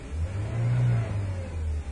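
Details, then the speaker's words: 1997 Ford Ranger 4-cylinder with long crank time, no power and stalling, running cold: low engine note surges then sags, won't hold idle without throttle, backfires; suspected bad fuel pump or vacuum leak, not confirmed. "this car could very well have a bad fuel pump with these symptoms wow it just will not hold the idle"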